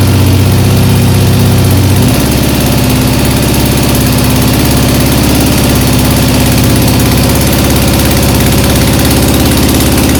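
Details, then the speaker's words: 1975 Triumph Trident T160, first start after full rebuild, still cold on choke; loosely refitted exhaust came off, giving a loud, coarse tractor-like open-pipe blare that turns harsher after a few seconds. "not bad except my attempt to uh loosely put the exhaust back on has clearly failed because it sounded like a tractor because it's basically uh come off again"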